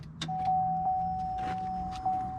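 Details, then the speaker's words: Freshly replaced fuel pump in a 2003 Chevy Suburban 5.3L 2WD priming with the key turned to the second click, not started, to fill the lines and push air out: steady mid-pitched hum about two seconds; normal priming. "you can hear the feel pump do that a couple more times nothing has so much suction you can hear it keep going"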